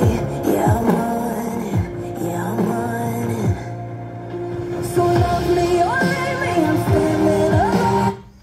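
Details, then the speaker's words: Harman Kardon Aura 2 speaker playing music: harsh, crackly mids and vocals, worse when turned up, while the bass stays solid. "kedengaran Akak ya suaranya Tuh Gem resek gitu loh jadi ini enggak Bagus banget suaranya kalau kita kerasin kecilin aja jelek suaranya"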